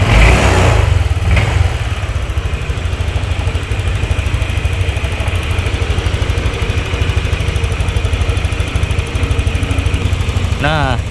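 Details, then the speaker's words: Honda Vario 150 scooter idling after arcing spark plug cap was replaced (temporary PCX 160 cap): steady low putter about three beats a second, even, no misfire; starts easily, brebet cured. "Dan untuk gasnya juga enak, sudah nggak berbet lagi, dan ketika dihidupkan ya itu udah enak, jadi nggak kayak tadi itu susah ya"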